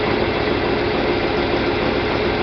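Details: John Deere 4020 tractor after clutch replacement and split reassembly, put into first gear and moving: steady, even drone under light load, no slipping, chatter or grinding; pulls cleanly, normal running.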